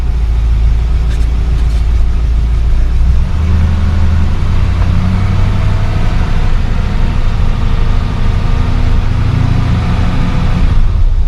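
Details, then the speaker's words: 1972 Mercedes-Benz 280SE 4.5 V8 after new in-tank fuel filter, Bosch electric fuel pump, fuel lines and tank ventilation repair: deep steady even idle rumble, no misses or rattles, exhaust sounds smooth; normal idle. "well it's idling nice and smoothly sounds very nice still listen to the exhaust"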